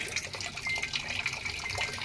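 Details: Samsung digital inverter automatic washing machine, after repair for no water intake: steady hiss of water flowing into the drum without pulsing at water level 3; inlet now fills normally.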